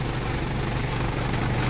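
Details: Mitsubishi Pajero Field Master diesel brought in for hard starting on cold mornings; intermittent glow plug relay found (worked only when tapped) and replaced; steady even low diesel clatter at idle with no misses or knocks, healthy idle.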